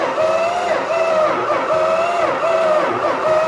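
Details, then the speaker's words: Purple Dodge Challenger sitting about 30 years, first start attempt: steady starter whine pulsing evenly as the engine turns over, slowing slightly each stroke; even cranking with compression on all cylinders. "Sweet. It actually sounds like it has compression. Yeah? So it actually cranks over."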